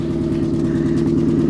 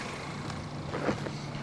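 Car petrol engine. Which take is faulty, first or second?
first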